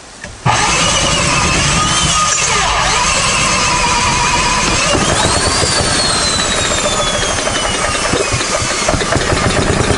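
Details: Old 1970s Briggs & Stratton generator engine with uncleaned carb catches within half a second, then settles into a fast, even run with no misses; sounds healthy.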